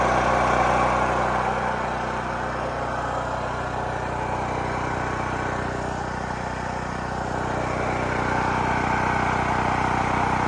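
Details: New Holland Agriculture 6500 W generator, previously seized after running low on oil, restarted with fresh gas, valve cover and spark plug refitted; steady, even engine beat at constant speed, no knocks or misses; normal running.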